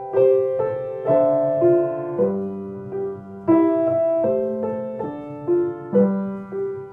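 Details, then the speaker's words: Kawai baby grand piano after tightening a loose bolt that caused a clicking sound and retuning some out-of-tune notes; clean notes ring and decay with no clicks or buzzes. Normal piano sound. "some notes Were Out Of Tune when I was uh fixing the problems with the extra sound so maybe find out how it sounds now"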